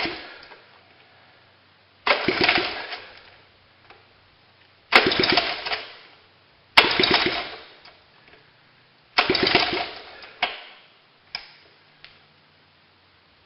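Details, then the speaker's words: Honda ATC 70 with no exhaust pipes fitted, first start after cleaning with a propane torch: loud raw crackling bursts every two to three seconds as the throttle is blipped. The engine fires cleanly and runs. "If it starts, I won't let it run too long because there's no exhaust pipes on it."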